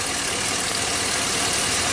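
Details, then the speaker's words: 2005 Chevy Silverado 2500HD with a reman engine that never ran right, check engine light not working, rough idle: sharp repeated snapping as spark arcs off the number-two plug wire instead of reaching the cylinder, a bank-specific misfire. "okay that's definitely a problem so let's go let's start with that the spark is not getting into the cylinder on number two and take care of that problem and then see where that goes"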